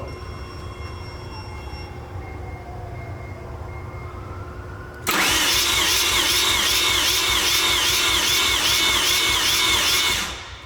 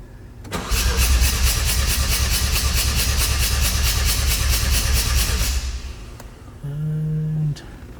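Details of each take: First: Mazda RX-7 FD, 13B turbo rotary, in a warm compression test with the plugs out on a small battery. It cranks laboriously at about 147 rpm, with roughly two pulses a second and never catching, due to a bad starter. Slow cranking from weak starter. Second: Mazda RX-7 FD 13B turbo, compression test: starter spins steadily about five seconds with even pulses around three per second; rotor faces evenly matched, about 100 after correction.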